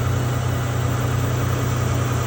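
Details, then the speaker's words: 2012 Nissan Maxima 3.5 L idling after replacing the noisy intake bracket: smooth, even low idle with a steady hum and no ticking or knocking. The engine now sounds healthy and strong. "after I put the new uh sprack it on and fly it up and let's go closer sounds so great nice and strong"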